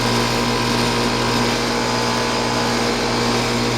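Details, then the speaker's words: 2001 Trane XE1000 5-ton heat pump in heat mode at about 45°F with frozen outdoor coil before defrost; steady compressor hum under even fan whoosh, no knocking or rattles; normal running. "actually you know what it is frozen this thing actually is"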